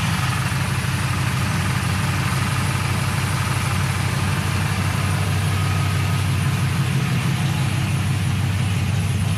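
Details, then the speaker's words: 1999-02 Chevy/GMC NBS truck V8 after an electric fan swap, idling with fan one on and AC on: even, steady low rumble with constant fan rush; normal idle, coolant about 196. "okay so it says fan one is on the AC is on it's nice and cool"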